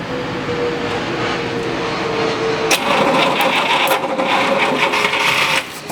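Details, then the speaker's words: 1962 Buick Electra house car, first start attempt with no fuel yet reaching the filter: starter cranks at a brisk, uneven chug of three to four beats a second, labouring and never catching; hard cranking, timing suspected a little advanced. "Again, sounds like it might be a little advanced."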